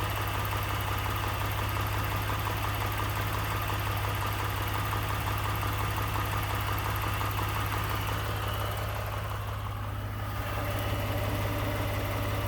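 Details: 2018 Ford F-150 with 2nd-gen 3.5 EcoBoost V6, 29K miles, at idle; even drone with a light, steady rattle and knock running through it, source not pinned down (owner mentions cam phaser startup rattle).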